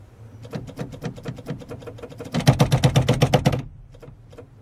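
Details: 1988–98 Chevy pickup with a new AC Delco D1565E brake light switch just fitted: crisp relay clicks, about four a second, following each press and release of the pedal; switching cleanly and working normally.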